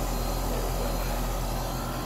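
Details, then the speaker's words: Newly installed A/C condenser (replacing a loud Goodman reciprocating Bristol unit), just started after line flush and nitrogen-purged brazing: steady even compressor hum with fan rush, no knocking or rattle; quieter than the old unit, running normally. "let that run for a few minutes man it's already it's not the quietest model for these but it's definitely quieter than the good one that came out of here"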